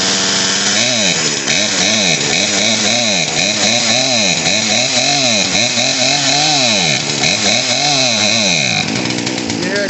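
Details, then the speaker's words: Poulan P3314 chainsaw, just started after an aftermarket carburetor and fuel line replacement, off choke at part throttle with no air filter fitted. Revs hunt up and down and bog out; the air-fuel mixture screws need adjusting, possibly for elevation. "that's it bogging out we're going to go through a quick adjustment"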